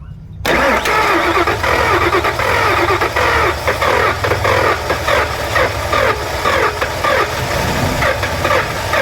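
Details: Ford Expedition with a hard start; its fuel pump was replaced two years ago. Rail pressure is low. It cranks and catches, then idles unevenly with surging and dips; cause unconfirmed.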